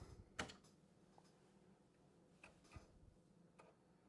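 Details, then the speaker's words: Amiga 3000 floppy drive makes sharp, irregular clicks as a disc is inserted, despite cleaning; the drive ticks at idle until NoClick software silences it. "one of the problems I was having is that it goes click Kitty click and I cleaned it and and everything but when I put a disc in it"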